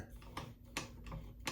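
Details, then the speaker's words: Vintage Necchi 536FB sewing machine, stiff and not sewing, turned slowly by hand before servicing: sharp, uneven ticks about every half second; source of the noise not yet known. "you can hear it making a noise I don't know what that is okay I have no idea um we're going to find out anyway"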